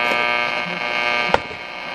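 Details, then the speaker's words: Detrola radio, broken original Bakelite case replaced with a custom cabinet: constant low buzzing hum with faint crackle even at volume fully down; owner suspects an open coil with silver migration. "This is what's concerning me. This. See, listen to it, and this is volume all the way down."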